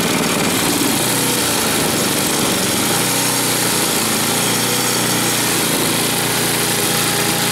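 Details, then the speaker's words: Snowblower small engine, still running. Steady high-pitched buzz holding constant speed without surging or sputtering; running healthy. "check this F out here again sounds like it's still going so that's a good thing that is a good thing"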